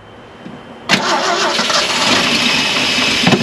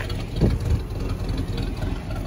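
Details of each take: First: Classic Ford F150 with 300 inline-six, sat 29+ years, was locked up: long steady fast cranking with a few uneven catches, then runs; good oil pressure but one cylinder suspect, very rusty sounding. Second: Classic Ford F150 300 inline six, just revived after sitting about 29 years, still cold: steady, even low rumble with no knocks or misses and no heavy smoke; normal idle.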